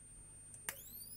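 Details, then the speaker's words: Rebuilt xenon flash circuit from salvaged camera parts on its new PCB, fed about 3.4–3.5 V: thin, steady high-pitched squeal, then a sharp snap with pitch climbing afterward; charger oscillating normally before triggering the flash. "We know this board works and you can hear the squeal."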